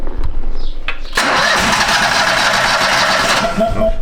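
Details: 2013 Steiner 440 air-cooled tractor at 698 hours, which had cranked but would not start with no fuel delivery after an earlier bad-ground no-crank: brief cranking, then it catches at once and settles into an even, steady run, starting normally.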